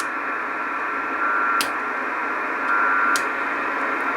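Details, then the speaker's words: Icom IC706 HF receiver near a home-built 12 V 30 A supply in a metal case with S-400 PCB; constant hiss and hash with a faint steady whistle picked up near the 240 V side of the case; switch-mode supply RF noise. "now that's near the 240 volt side of the um power supply so it's picking up some noise from the case"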